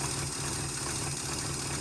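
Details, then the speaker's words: 1971 Chrysler eight-door airport car, cracked block patched with epoxy, run with no coolant to heat the head and set the epoxy: steady, even idle with a smooth low rumble, no knock or miss; idles fine. "What we're gonna try and do is fire up the engine here with no water in it at all to get some heat in the cylinder head, crack the block, and then secure that epoxy in there. Fart up. Ooh, runs good."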